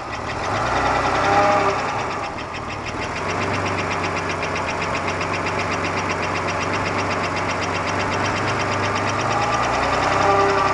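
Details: 1991 Buick Park Avenue 3.8L V6 at idle right after start: a loud, uneven knock at about three a second. It began half a year ago, is the same hot or cold, and persists with the accessory belt off. Performance and oil pressure are unchanged; cause undetermined.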